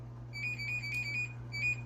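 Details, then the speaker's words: GE front-loading washing machine control panel: crisp high chirps, one per button press in a quick run then two more, over a steady low hum while setting delay wash; normal keypad beeps. "Say, for instance, did you hear it beeping when I was pressing the button?"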